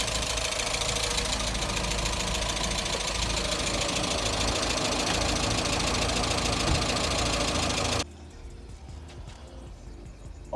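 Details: Mazda Miata after new thermostat, fuel pump, fresh gasoline, new radiator and hoses with new coolant: steady even idle about eight seconds with fast regular beat, no misses, then cuts off; engine running cleanly after first restart.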